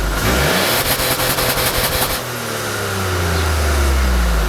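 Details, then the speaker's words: Ford Bronco Sport, 1.5L turbocharged three-cylinder, 8-speed automatic, AWD, 4,000 km, heard at the bumper-hidden dual exhaust outlets (sooty): clean throttle blips settle into a steady, even idle hum with no rattles. Normal exhaust note. "There's no real effort to bring it out and make it really throaty and flashy."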